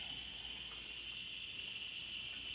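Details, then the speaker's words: Portable medical oxygen E-tank: soft, steady high-pitched hiss from the open regulator outlet after the valve is turned one turn counterclockwise, gauge at 2000 psi, before the nasal cannula is attached; normal oxygen flow. "you turn this counterclockwise one turn and you can hear the air coming out of the regulator"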